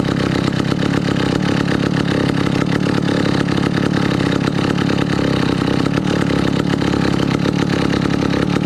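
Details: 1962 McCulloch 1-46 chainsaw, revived after lacking its carburetor and other parts: crisp, buzzy two-stroke firing holds steady and clean, no stumbling or misses; runs evenly and healthy.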